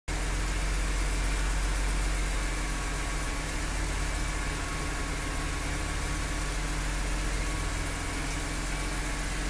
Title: E46 m3 ticking sound